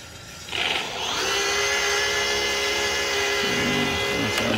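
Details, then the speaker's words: Electric moped conversion, old hub motor removed and spun unloaded, running in reverse only: the whine climbs to a steady high pitch, then warbles unevenly; sounds weird. Forward doesn't work; the blue hall sensor wire read zero; owner thinks the motor is toast. "good sounds a little weird coming forward okay forward doesn't work just reverse all right so obviously that's no good"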